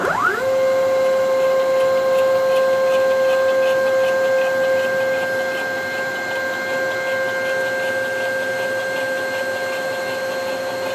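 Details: DIY CNC machine with ball screws jogging axes: steady high whine with fast rattle about 2.5 pulses a second; rails and ball screws aligned within about five thousandths, cause unclear, owner suspects misalignment.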